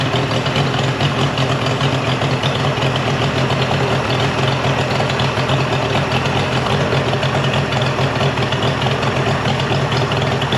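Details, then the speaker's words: Mercury 50 hp three-cylinder two-stroke outboard after a new switch box replaced a defective one. It gives a steady, even drone with no stumbles, and the telltale stream is good after clearing mud dauber nests. "So that right there is the stream you want. So the motor runs great."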